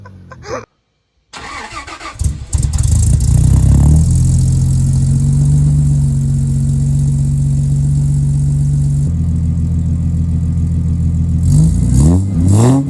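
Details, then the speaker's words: Toyota LandCruiser 100/105-series exhaust before fitting Pacemaker extractors, clip from previous trips: cranks, catches cleanly and settles into a smooth, even, deep idle with a couple of blips; no leaks or rattles, normal exhaust note. "It sounds pretty much the same as it did then."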